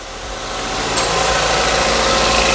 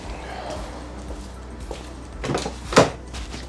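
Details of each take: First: Ford Puma, broken and sitting six months, first start after the four injectors and vacuum pipe were reconnected: catches and rises to an even, steady idle, no misses, knocks or rattles; runs brilliantly. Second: Ford Puma that stopped running, cranked after fuel confirmed reaching the front and the system primed: clicks, then about 4.5 seconds of cranking with no firing; fault in the engine bay, owner suspects an injector or pressure regulator.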